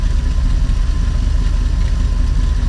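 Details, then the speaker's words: RV engine after replacing the fuel sending unit with a new Motorcraft unit: low, steady rumble with an even beat, no misses, stumbles or hunting; normal idle, no hesitation when revved. "I don't know if you can hear that but that sounds like one powerful engine no hesitation"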